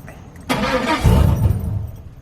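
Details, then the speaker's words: 2003 Chevy Silverado 4.8 V8, fuel pump fuse/relay pulled to relieve pressure before inline fuel filter replacement: starter cranks about 1.5 s with no catch; cranks but won't start, no fuel pressure. "try to start the truck and it won't start because the fuel pump isn't working so we've relieved the fuel pressure"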